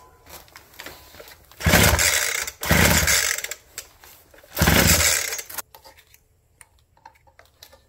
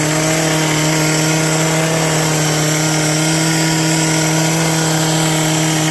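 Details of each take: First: Abandoned roadside two-stroke hedge trimmer, full choke, primer primed, tank full of fuel: three hard pull-cord rips each dying with no firing; no start as carb spits fuel and is soaked, probably because the wrong carburetor diaphragm was used. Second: Old two-stroke hedge trimmer revived with on-hand parts, new cut air filter fitted, mixture screws not yet reset, cutting bush: steady high buzzing drone holding even revs under load, no misfire or surging; noisy and vibrating but healthy.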